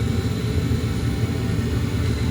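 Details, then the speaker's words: Attic gas furnace on heat call, exhaust (inducer) fan coming on first to create vacuum for the pressure switch: steady low hum with an even whirr, nothing rattling or scraping; inducer fan running smoothly. "the first thing you guys when the heat start you can see this is the exhaust fan it comes first on i can hear it and this if i touch it it's running"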